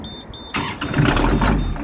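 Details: Newly fitted Beta Marine diesel in a narrowboat, first ever start after installation: quiet tick, short crank, catches at once and builds into a steady running note; normal clean first-time start.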